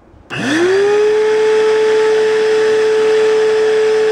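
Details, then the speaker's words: Bissell Lift-Off MultiCyclonic Pet vacuum 89Q9, used with no filter: motor spins up quickly to a steady high whine with a faint rough grinding edge, suspected dust built up inside the motor. "The way that motor was sounding, sounds like there's dust in it. Start it up and you'll hear that."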